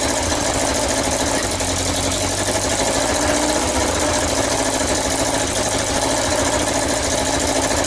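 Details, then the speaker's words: XJ900S Diversion motorcycle, first start after revival, idling: rough chuffing hiss over the engine note; exhaust blowing from the header pipes at the manifold joint. "okay then so I fought it was blowing from the manifold their horrible forging flapping stands you could hear it says that it's blowing from these pipes"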